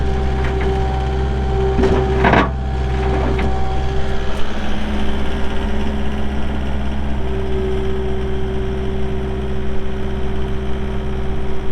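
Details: 2018 Takeuchi TL8 skid steer with 1,594 hours: the diesel settles into a steady, even low idle with a constant drone and no knocks or misses; it sounds healthy.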